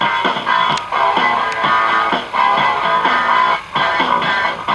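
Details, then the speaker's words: Vintage Cariole portable 8-track player during tape playback, with a drive belt that sits crooked and wobbles. The music's pitch sags and wavers about once a second, bending notes out of tune. This is wow and flutter from the wobbling belt; a tighter belt that runs straight fixed it. "even seem like it's sitting straight I mean like it's wobbling let me try a different belt"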